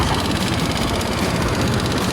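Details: Honda Click 125i fuel-injected scooter that was hard starting, not accelerating and stalling, after fuel pump motor replacement: steady, even idle with smooth unbroken beat, no knocks or misses; normal running.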